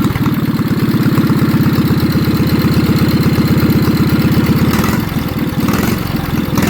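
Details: Old Wisconsin TFD single-cylinder engine on its first test run after its carburetor, unused for over 25 years, was cleaned with no new parts and air covers still off: loud, steady low putter that dips briefly, then recovers; runs normally.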